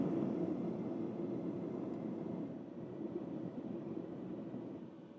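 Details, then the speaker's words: Milwaukee M18 battery-powered forced-air propane torpedo heater running on high after ignition: soft, even roar of fan and flame with no sputter, pulsing or popping. It is burning normally, and is quieter on low. "it's pretty quiet on low that's for sure"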